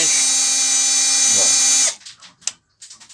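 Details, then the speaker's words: Hummer PLI12 12 V cordless drill/driver after repair of a fault where it clicked on and off, made a strange noise and would not reverse; steady, even high-pitched motor whine holding torque well, then a clean stop; running normally. "Tá segurando bem a a tração, né? Bem bacana."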